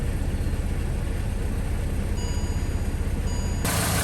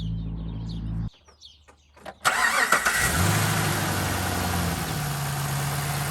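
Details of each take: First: 2013 Chevy Caprice PPV, L77 LS V8, after displacement-on-demand delete: deep idle with uneven, lumpy beat that never settles; rough running from the wrong cam reluctor gear, the 4x type was needed. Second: 2013 Chevrolet Caprice PPV, L77 LS V8 with DOD deleted, LS9 camshaft, after replacing the 1x reluctor part with the correct 4x: quick crank catches cleanly into a steady, even idle with a deep exhaust note, no misses or ticking.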